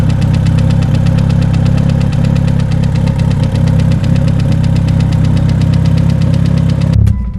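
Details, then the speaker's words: 500 WHP stock-block Evo 8 with AGT 62mm turbo, at home after hurt at drag strip, coolant had leaked into engine: loud heavy knock about 220 per minute over rough deep idle, stopping at shutdown; serious internal knock, cause unconfirmed. "It probably just burnt all the leftover coolant that got into the engine and stuff, but now there's like a loud knocking that you guys can hear from there."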